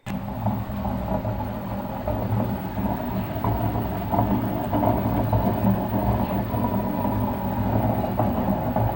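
Continuous deep rumble with rough grinding as the drum turns, swelling slightly over time; the drum bearings are badly worn.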